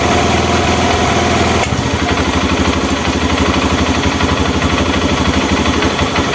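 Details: Honda Mega Pro mono after an air leak was found and fixed and the air screw set. A steady, even single-cylinder putter at a settled idle, about three firing pulses a second, with no hunting or stumbling.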